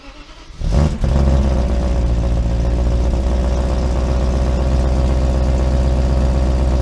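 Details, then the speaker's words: 1995 BMW 530i E34 V8 5-speed, first start after over a month of sitting: brief crank, then catches right away and settles into a steady, even idle; exhaust possibly cut in the center; normal cold start. "at that right away this cars been started in months supposedly and that started up first fry that's BMW reliability for you"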